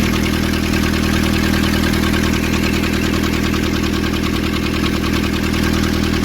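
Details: Nissan Urvan ZD30 diesel after a no-start repair in which a clogged, soot-filled part near a sensor was cleaned and refitted: even, steady clatter at constant idle speed, no misses or surges; smooth, healthy idle.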